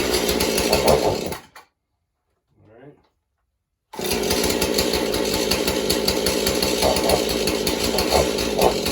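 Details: Husqvarna 435 two-stroke chainsaw run on likely mixed fuel after purge bulb replacement, good compression: buzz that surges and dips, cuts out a couple of seconds and restarts unevenly; poor running, carburetor needs to be gone through.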